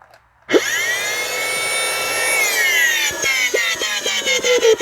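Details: Curbside-found, very dirty Dyson DC25 vacuum run for an airflow and suction test, hose held onto the cuff: motor spins up to a harsh, scraping high whine with a rough grinding edge that sags and stutters; extremely worn motor bearings.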